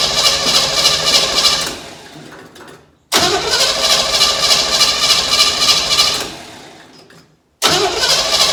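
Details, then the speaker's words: 1957 Chevy wagon small block with exhaust removed, cranked: starter spins about two seconds and dies, cranks again without catching; owner suspects the carburetor drains or evaporates fuel from its bowls. "For some reason this carburetor either drains out the I don't know, leaks the fuel out of the bowls or evaporates."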